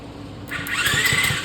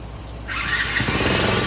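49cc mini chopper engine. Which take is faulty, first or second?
second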